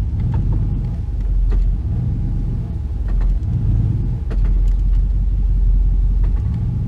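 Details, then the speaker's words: Ram 4x4 driving in four low after an actuator repair: low droning rumble swelling and fading roughly every second, with scattered clicks. Owner suspects the U-joints; source unconfirmed. Driveline noise in four-wheel drive. "sounds like uh i don't know what that is i have to look around sounds like the u-joints or something like that"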